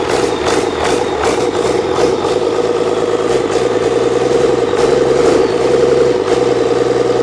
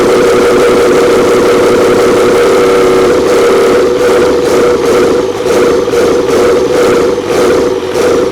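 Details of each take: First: Old 12-valve Cummins diesel stored for almost a decade, first start, not hooked to anything. Clatters at idle with an uneven, loping beat, about two and a half pulses a second; idle not set properly. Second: Old 12-valve Cummins diesel stored for almost a decade, first start after freeing a seized fuel solenoid. Loud, steady diesel clatter with an even beat and constant drone, no misses or knocks; healthy settled idle.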